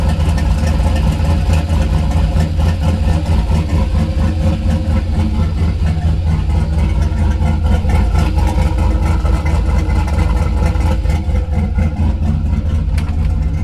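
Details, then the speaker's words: Turbo LS Chevy Avalanche, Sloppy Stage 2 cam, warm start on 102°F day: deep, lumpy V8 idle chopping about twice a second, steady and strong; normal choppy cam idle before swap to Truck Norris cam. "But when the cutout opens, it definitely chops pretty good. But this is what it sounds like with the current settings with the sloppy stage 2 on a warm start."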